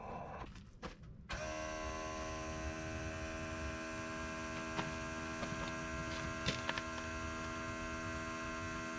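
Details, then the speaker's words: Old flatbed truck's electric fuel pump, heard from underneath when switched on after the old pump clattered without picking up fuel: it kicks on and settles into a smooth, steady hum with even whine and no clatter, sounding better. "you tell me tell me what it sounds like it's like it sounds like it's gonna push push feel or not"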